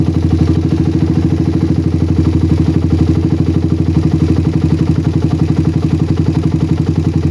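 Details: Single-cylinder bike with a PWK carburetor that ran wet at low RPM, now tuned. The idle is steady and even with no hunting, and pressing the throttle slide for a long time no longer affects it. The air-screw setting is now balanced.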